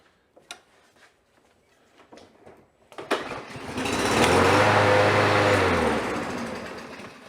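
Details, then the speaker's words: Troy-Bilt TB110 push mower, Briggs & Stratton 550EX, 21-inch deck, model 11A-A230711, revived after being left by the road: restarts after a few pulls and settles into an even, steady drone; normal start and run. "Just like a champion."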